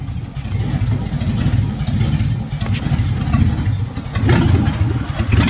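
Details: 1957 Chevy hardtop (LT1 Roadmaster conversion project) after advancing ignition timing, warming up; big engine rumbles low and pulls through a few throttle blips without stumbling — idles and revs acceptably, normal running.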